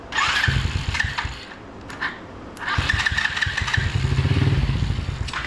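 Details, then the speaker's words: $40 125cc ATV quad, choke closed, more starting fluid sprayed in: the starter churns, the engine catches in a short ragged burst of firing, then dies; cause not confirmed at this point. "let's spray a little bit more star food in there close that choke up hey we did hear a fire at least so that's a"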